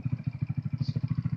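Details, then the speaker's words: 2015 Hammerhead GTS 150 after restoration: slow, lumpy single-cylinder putting at about twelve beats a second, sagging as if about to stall; idle set too low. "idle down pretty low like sounds like it wants to stop"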